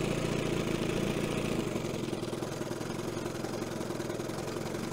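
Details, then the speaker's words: 1970 Evinrude 25HP outboard after condenser change, in gear at low idle: low, uneven putter with stumbling, spaced-out firing; it stalls though it wanted to stay running, so the idle gets raised. Slow-speed needle being adjusted, thought to be running too rich. "let's see if it stalls okay it did but it wanted to stay running so we're gonna up that idle a little bit more"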